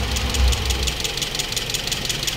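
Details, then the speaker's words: Toyota Vios petrol engine after overhaul and oil sludge cleaning, customer complains of very loud engine; fast sharp metallic tappet ticking at idle from incorrect valve clearances. "yan nga pala ang concern ng ating customer ngayon sobrang ingay ng kanyang makina ah malaga ti pagkatapos daw nilang ah Linisin yung ah oil sludge nito"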